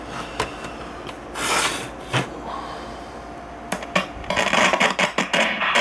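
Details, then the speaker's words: Soviet Alpinist 321 battery radio (4 C cells) played while its volume knob is turned. Sound breaks into scratchy crackles and pops in bursts; worn, dirty volume potentiometer. "I haven't ever opened this radio up yet, but it's got a scratchy volume control. See if I can demonstrate that."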